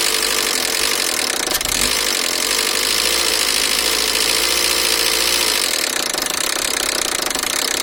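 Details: 2002 Peugeot 307SW 1.6 16V TU5JP4 at rough idle with rapid metallic knocking, three or four a second: timing belt (31,000 km, over 5 years old) jumped 2 teeth on the crankshaft sprocket, valves touching pistons; water pump also leaking.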